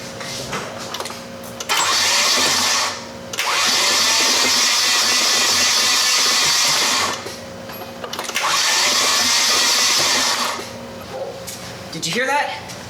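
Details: Nissan 240SX KA24DE that won't run, engine suspected blown, spark plugs removed for compression testing: fast, even whirring crank in three bursts of a few seconds, never catching or firing; turns over but won't start.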